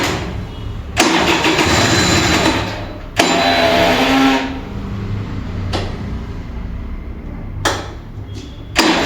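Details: Vintage Kinetic Honda 2-stroke scooter, early-morning cold start: repeated cranking bursts fading and slowing as the battery drains, weak ignition, engine refuses to fire despite light throttle twists.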